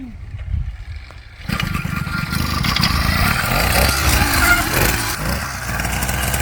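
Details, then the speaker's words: Amazon 100cc two-stroke motorized bicycle kit, freshly built, after about 40 start attempts: quiet, then catches abruptly and buzzes unevenly at wavering speed; starts reluctantly and won't idle easily. "So, we did get it to start and it did not want to idle or start easily. We did like 40 runs on it."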